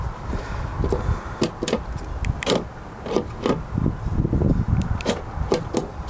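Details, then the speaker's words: Honda Civic fuel door actuator after replacing the dirty actuator: crisp clicks and clunks on each lock cycle, and the loud buzzing it used to make when locking is gone; working normally. "അത് lock ആകുമ്പോൾ ഭയങ്കര buzzing sound ആയിരുന്നു. ഏതായാലും ആ sound മാറി."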